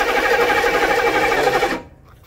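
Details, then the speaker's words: 1995 military HMMWV diesel after a new fuel pump: the starter spins evenly for under two seconds with no firing; crank no start because a blockage from the diesel fuel can starved it of fuel. "But the fuel pump was installed, but we still weren't getting any fuel because of this. It turns out that there was a blockage between our gas tank, sorry, our diesel fuel can"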